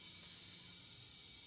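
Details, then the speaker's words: Liquid propane transferring from an inverted 20 lb tank into another cylinder; steady, fairly strong hiss with no sputter or break, normal flow. "very well i can hear it hissing in there kind of aggressively so it's working for sure"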